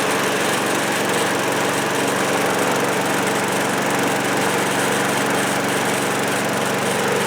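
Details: 1974 Craftsman mower repowered with a spare Briggs & Stratton engine replacing the old Tecumseh, throttle locked full: steady, even small-engine drone at constant high speed, no misses, knocks or surging. Normal running.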